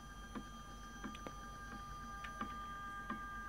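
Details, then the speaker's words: iOptron CEM40 mount, RA axis with erratic guiding: faint sharp clicks about every 0.7 seconds over quiet motor hum, from a damaged RA drive belt section popping as it passes the pulley; damaged drive belt. "i think that's clear right something is wrong the the graphs of the phd log viewer will also show clearly that there is an issue with this mount"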